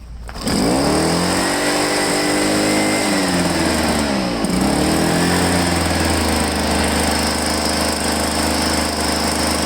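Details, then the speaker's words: Echo PB-500H two-stroke backpack blower, returned for a no-start, primer now rock hard, fuel line found kinked: starts and revs up and down, then settles into a steady high buzz, running cleanly. "wow i don't know it seems to run good but the primer is like solid as a rock"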